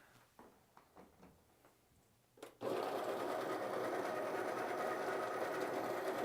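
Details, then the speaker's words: Baratza Encore burr coffee grinder, plugged back in after its clogged discharge chute was cleaned out, grinding whole beans: after a few handling clicks the motor starts with a steady, even rasp, no labouring or stalling; normal grinding restored after unclogging. "and we're back to grinding the grinders back in action"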